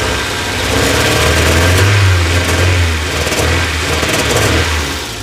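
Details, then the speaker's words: 1990 Toyota MR2 Mk2 JDM, stood over 20 years, revving: uneven stumbling beat with dropouts, missing a little; owner suspects running rich, maybe coolant temperature sensor, cause unconfirmed before plugs and basics done. "you can hear it there it's just missing a little bit"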